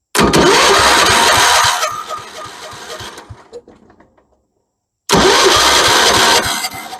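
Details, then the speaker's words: 1976 Vermeer LS200 log splitter, Kohler K301 12hp cast-iron engine, probably with points and condenser, cranked with starting fluid and no choke: starter whirs, slows, stops, cranks again without a single pop. No ignition spark; ignition power or connections suspected. "good not even a pop okay I guess we start by checking for ignition power then we could easily not have it by my connections here or there or any kind of ignition issue we might have"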